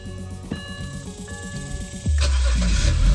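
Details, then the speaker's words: BMW E91 325xi wagon that sat three years, first start after swapping in a new box on the back: dash chimes, brief crank, catches cleanly into strong steady idle; healthy, slight burnt smell likely oil from valve cover work. "Oh my gosh. What the heck? Well, the wagon lives. How insane. It's alive. What the heck? That's sick. Good to know. Sounds good. Sounds healthy."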